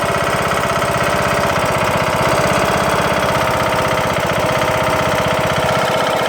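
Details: Craftsman LT2000 mower's Briggs & Stratton single-cylinder engine running after replacing broken camshaft and timing gear: hard steady knock about four per second, cause unknown.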